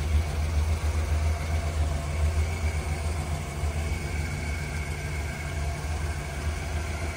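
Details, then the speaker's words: 1979 Chevrolet Impala V8 at idle, heard from inside the car after a new resonator and a quiet factory muffler replaced the loud exhaust. Low, even, soft rumble with no ticking, popping or exhaust blowing; a normal, smooth idle. "so now on the inside of the car you don't you don't hear nothing it was so loud before she got a nice little Rumble too"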